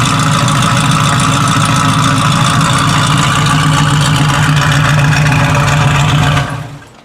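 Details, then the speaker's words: 1967 Chevrolet Camaro, 327 small block bored .030 over, Edelbrock high-rise intake, Holley carb, headers with Flowmaster exhaust, 350 Turbo transmission: deep, lumpy, steady, even V8 idle with no knocks or misses; normal start and idle. "That sounded real good. It's been a great car for us."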